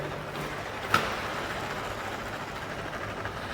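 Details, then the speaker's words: Roller skate used about a year, wheel spun by hand: rough, gritty whirr with a click, loud noise from inside the bearing and the wheel no longer rolls at its old speed; worn bearing needing replacement. "ഈ ബെയറിങ്ങിന്റെ ഉള്ളിൽ നിന്ന് ഒരുപാട് sound ഭയങ്കര sound വരുന്നു അത് മാത്രമല്ല push ചെയ്തിട്ട് അങ്ങോട്ട് നല്ല രീതിയിൽ പഴയ സ്പീഡിൽ പോകുന്നില്ല അപ്പൊ നമുക്ക് മനസ്സിലായി ഇതിന്റെ ബെയറിങ് കംപ്ലൈന്റ് ആയിട്ടുണ്ട്"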